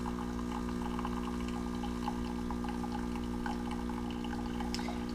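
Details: Keurig Rivo R500 pulling a short espresso for a latte: a steady low pump hum with trickling liquid, even and unbroken throughout. Normal espresso pump operation.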